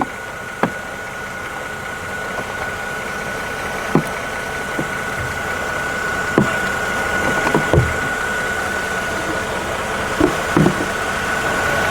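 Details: Mercedes E350 after alternator replacement: quiet steady idle with faint constant whine (secondary air pump running) and handling clicks, charging about 13.9–14 V, battery light fixed; normal healthy idle.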